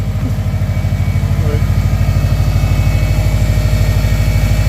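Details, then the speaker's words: Subaru Forester XT turbo engine with a blown turbo leaving residual smoke, running through a pass-through muffler: firm, regular exhaust pulses at idle, steady and even with no knock or miss, quieter than expected; engine running healthy. "No, it actually is a lot quieter than I expected it to be."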